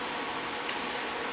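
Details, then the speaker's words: DeLonghi Pinguino PAC N120EC 12,000 BTU portable air conditioner (R410A) in fan-only mode on high, compressor off: steady airy whoosh with an even hum, no rattles or ticks, quieter than an older 10,000 BTU Whirlpool unit; normal fan operation. "it's really not um it's actually pretty quiet it's on high right now just the fan but I had a 10,000 B2 Whirlpool unit that was a whole lot louder than this one was"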